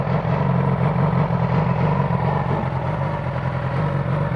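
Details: 2009 Yamaha R6 four-cylinder idle: lumpy, uneven low beat with occasional stumbles instead of a smooth hum; misfire caused by a failing ignition coil.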